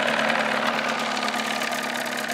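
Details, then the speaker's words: 1979 Evinrude 35hp two-stroke outboard in a test barrel, hood off, before sound-deadening insulation: loud, steady high-pitched drone with an even exhaust buzz and no knocks or misses, meter max 96.4 dB, min 83.6 dB; normal running. "right our max like it says is 96.4 our minimum was 83.6"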